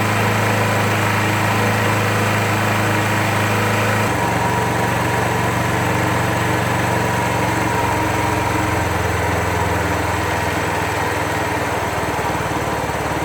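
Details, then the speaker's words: 2001 Suzuki GZ250 single idling while warming up, fast slightly uneven puffing tick dropping in pitch: exhaust leak that a gasket change didn't fix; engine runs lean with bluing front pipes and plucks off choke. "pull the choke oh and you'll you'll hear an exhaust leak that I'm hoping to take care of today as well and I changed the gasket but that didn't seem to stop it"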